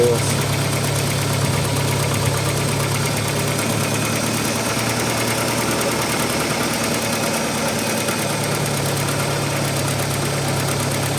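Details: Audi 80 B4 2.0-litre petrol engine at cold idle with a dull, steady clatter over the engine hum; oil pressure confirmed present, owner suspects hydraulic lifters, not confirmed.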